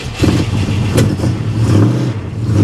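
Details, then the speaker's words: 1973 Plymouth Scamp flood car, automatic, four-barrel carburetor, just started for the first time at the salvage auction: a deep, strong rumble rises and falls with throttle blips, with no knocks or rattles. The engine revs cleanly and sounds healthy and mean. "oh boy she sounds mean uh I'm not going to lie I'm a little I was a little surprised by that mik"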